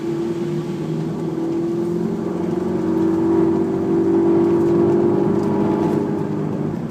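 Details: Honda S2000 with steady mid-pitched whirring from engine bay that rises in pitch and volume with revs; source unclear.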